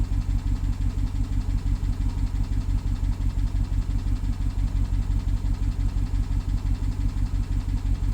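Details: BMW 750Li with N63 V8 at idle after replacing the fuel injectors and high-pressure fuel pump. Steady fast tick, about three per second, over a stumbling misfire beat; the owner wonders if it is the timing chain, cause unknown.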